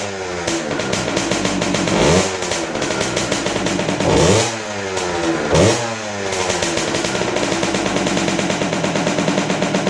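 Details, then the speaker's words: Kawasaki KX60 two-stroke dirt bike, sat over 6 years, first start on choke with HP2 synthetic premix: blips through three rev swells with a stuttering, uneven burping idle between; owner wonders if it's the missing cover, cause unconfirmed. "Sounds like it's burping. Why does it sound like it's burping? Is it because there's no cover on it?"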